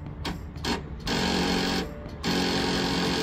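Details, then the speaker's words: Lawn tractor first start after winter storage: short labored starter bursts that never fire; slow cranking from weak battery, which would not charge even after cleaning connections and was replaced. "you're just getting your lawn tractor out for the first time this spring. And all it's doing is this."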